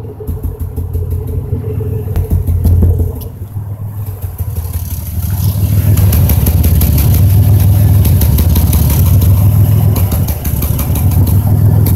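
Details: 2005 Chevrolet Impala 3800 V6 at idle, P0305 code: lumpy, irregular stuttering beat of about three to four pulses a second; cylinder 5 misfire persists after new #5 spark plug, wire and injector, cause unknown.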